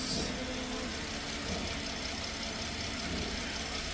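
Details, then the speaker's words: 2013 Porsche Panamera just after timing chain replacement, idling; even steady idle with light busy top end, no rattle, no misfires, timing correct; normal idle. "everything sounds good definitely on time no misfires she sounds great"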